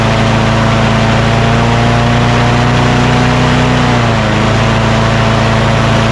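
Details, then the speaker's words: Craftsman push mower with Quantum engine, after rpm adjustment: steady drone whose pitch settles slightly lower, then runs smooth and even. Normal engine speed; it was too high before. "she now that sounds much better before it was just too high"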